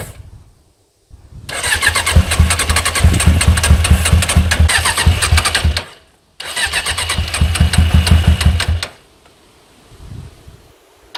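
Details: Suzuki GSX 600 motorcycle project, first start after fitting a new switch: long cranking, catches unevenly and stumbles as if a cylinder isn't firing. It sounds brutal and smokes, which the owner attributes to WD-40 on the manifolds. Manifold bolts are loose and the idle needs sorting; cause is unconfirmed.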